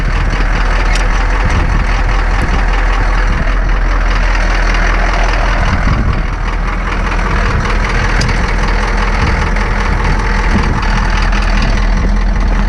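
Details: Ex-military Humvee (HMMWV) diesel with leaking fuel transfer pump, just after a hard cold start with white smoke: loud steady idle clatter with even low rumble, no misses; running fine.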